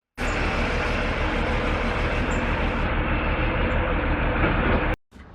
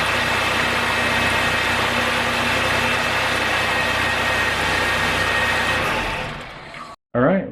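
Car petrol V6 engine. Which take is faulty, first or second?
first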